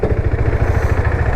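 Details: KTM RC 390 after timing chain, gaskets and seals replaced, slightly warmed up: even, quick single-cylinder thumping at idle with no knocks or rattles; engine noise problem solved, sounds healthy.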